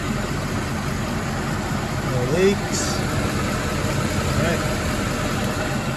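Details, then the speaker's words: Mercedes ML63 AMG, M156 V8 (~500 hp), just after topping up oil: steady, even idle, smooth low rumble, no ticking or knocking; earlier lifter noise attributed to low oil and gone immediately. "all right i can almost guarantee that that lifter noise we were getting was because the oil was low we went away immediately right now nice and smooth"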